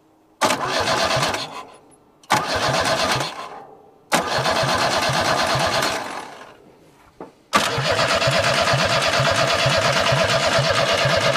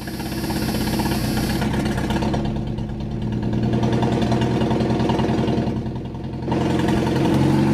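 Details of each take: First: Abandoned junkyard Chevy S10 cranking: three bursts of steady cranking near three beats a second that never catch, then a longer crank; injector spraying fuel, engine tries to fire only when key is released, same when jumped at starter; suspected ignition-switch fault. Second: Abandoned Chevy S10 mini truck pulled from a junkyard, first start right after fitting a new distributor and cap with the battery reconnected: engine catches and settles into a smooth, steady idle with light blips, no knocks or misses. Normal idle; the distributor was the problem.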